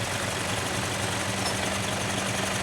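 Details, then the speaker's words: Mitsubishi 6R10 diesel tractor head, just fitted with a remapped ECU after low power and fuel knocking: starts on one click and settles to an even, smooth idle; the former knocking is gone. "Goods na goods na guys oh. dating knocking pero ngayon ang pino ng andar oh"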